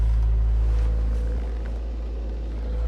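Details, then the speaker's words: 2003-08 Toyota Matrix XR after fuel pump replacement, started by banging on the suspect starter: steady low hum with even pulse about four a second, no knocks or misses; running smoothly, check engine light on for shift solenoid. "So I went outside and I just kept banging on the starter, and I got it to start right now."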